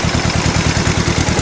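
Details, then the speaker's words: Old two-cylinder tractor after condenser replacement and cleaning of the rotor and cap contacts, no cooling system fitted, slightly raised throttle: even, steady popping at about thirteen beats a second, not smoking much; running smoothly and healthy. "oh sweet not smoking that bad give it a little more gas [Music] here that sounds pretty darn good to me woohoo fix the hand crank"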